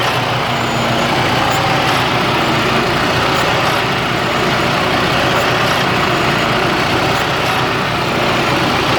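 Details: 2009 Freightliner Cascadia with Detroit DD15 diesel, over 800,000 miles, at idle: lumpy, uneven chug under a loud steady rumble; has idled like this since purchase, shop said it is normal, cause unclear.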